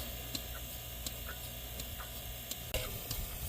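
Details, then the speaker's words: Bucket milker on cow with vacuum pump, just before shutoff as udder empties: light sharp pulsator clicks about every three-quarters of a second over soft hiss; normal pulsator cycling with good vacuum. "when you hear that clicking you know that there's enough vacuum pole that it can go on the cow"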